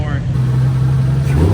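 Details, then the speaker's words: 2JZ-swapped BMW E46 M3 running again after repair, with the starter tapped to get it going and no leaks so far: a deep, steady engine drone at an even pitch with no knock or tick, so it runs normally. "so far no leaks so oh man dude it is great hearing this let's let's listen to it a little bit more"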